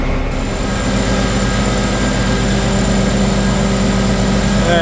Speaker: now it's coming up that's an airbag is filling up along with that one right there